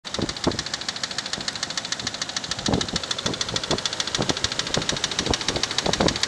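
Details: Infiniti Q45 at idle: sharp, fast ticking about three per second over a smooth idle; owner suspects lifter noise, source not confirmed.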